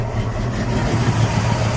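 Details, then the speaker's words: 1987–93 Ford Mustang 5.0 V8 after replacing a faulty TPS sensor that caused hard starting: it starts easily and settles into a low, steady burble with a slight lope, even and unbroken; normal idle. "yeah i'm idling better starts up like a champ"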